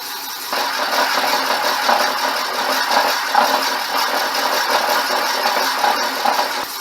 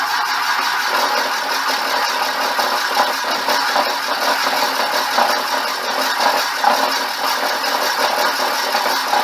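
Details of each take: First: Boring the cracked cylinder of a '59 Flathead engine ahead of a sleeve, after a corrected setting: steady even cutting hiss with no judder; smooth boring cut, no chatter. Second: Boring the cracked, brazed cylinder of a '59 Flathead engine on a worn tool tip: harsh cutting hiss with a fast rattly judder; boring bar chatter, stopped to change the tip.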